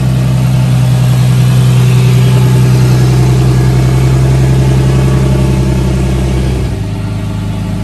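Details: Big-turbo Nissan R32 Skyline on an untuned, self-adjusted basemap, warming up, stationary free revs: loud, strong revving held high then dropping back sharply; hesitation and backfire pops from the untuned map.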